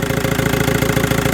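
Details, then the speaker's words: VW 1.9 TDI diesel at idle after replacing the alternator overrunning clutch pulley: even clatter at steady idle, no squeal or chirp from the belt side; earlier steering-related whine, caused by the alternator clutch, is gone. "Дивіться, зараз крутимо, ніякого писку немає. Юра, покрути рулем! Писк відсутній."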